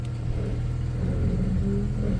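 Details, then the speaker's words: 1994 Chrysler Town & Country AWD after a new engine mount: cranks long on first start (owner suspects it loses fuel pressure), then a steady low rumble swelling slightly under load in gear, with no clunks or vibration. Running normally. "Feels good, put it in gear. Oh, it feels good. No weird vibrations or anything."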